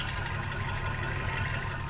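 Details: Hyundai i10 after rough-idle fix: smooth, even low idle with steady rhythm, no stumble or miss; normal idle.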